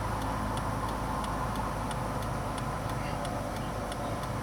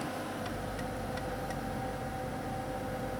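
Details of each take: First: 2001 Ford Taurus with intermittent turn signals, after replacing the flasher relay under the steering wheel with the OEM part: crisp, evenly spaced clicks about three a second over low engine hum; normal flasher operation. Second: 2001 Ford Taurus, turn signal on: the flasher relay under the steering wheel ticks a few times at about three per second, then stops with the signal still on, intermittently. Failing turn signal flasher relay.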